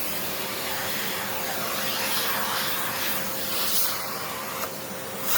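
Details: Hoover Encore U4595 vacuum, test run during refurbishment: smooth, steady high whir with airflow hiss and no grinding or rattle; the motor works and sounds really good.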